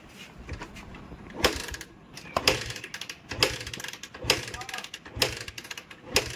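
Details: Bajaj Pulsar 150cc with a very weak battery that won't start and has a weak self-start. Six sharp kick strokes about a second apart with mechanical clatter, yet it never fires. The engine turns over but won't start, and a spark/current problem is suspected.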